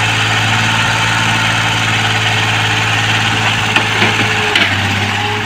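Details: Komatsu PC-20 excavator 3D84 diesel after injector repair and replacement, with an electric fuel pump and a fuel filter added: a steady, even idle with a smooth, low drone and no knocks, misses or surging; runs cleanly.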